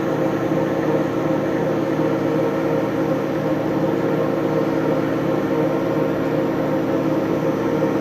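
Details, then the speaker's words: RMT Pipe Spool Master TGB facing cut, tool fed lightly in X until contact: steady, unbroken cutting hum without chatter or interruptions; smooth even cut shows the vise is centered (an interrupted sound would mean it isn't). "We don't want it to sound too interrupted. That means that our vise isn't centered, but it should be a nice, like, smooth sounding cut that doesn't sound too interrupted."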